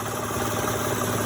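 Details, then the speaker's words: Honda Odyssey V6 idling, then revved, after engine reinstall: steady rumble with a regular knock from below; owner suspects a failed Dayco automatic timing belt tensioner under 3,000–4,000 miles old, unconfirmed. "the knocking noise down there. I'm gonna give it some gas here. I mean, that just sounds horrible."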